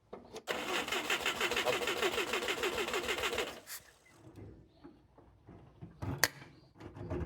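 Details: Mitsubishi Jeep J3-J10 engine being recommissioned, investigating a no-start and carburettor overflow: about three seconds of fast, even starter churning near three beats a second, then it stops without catching; hard start, cause not yet found.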